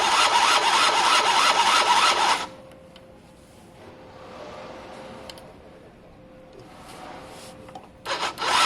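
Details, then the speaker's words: Gilera DNA 50cc scooter, cranked on ignition with plug out for spark check: fast even starter churning about two seconds, then short second crank, never firing; no spark, though it sparked days earlier; CDI suspected, unconfirmed. "Still can't see spark, guys. Nope, can't see it, can't feel it, can't hear it. Nope, no spark."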